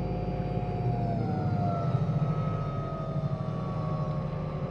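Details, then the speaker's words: Hyundai Ioniq EV at 113,945 km, with traffic noise around: clear pitch-sliding tones over road rumble, a howl from the electric traction motor that tracks motor speed; motor to be removed and opened for repair. "तो यहां हमारे पास उसका उपनाम है और यहां हमारे पास मोटर में ऐसा हॉवेल है, वैसे, कार पर माइलेज 113945 किलोमीटर है"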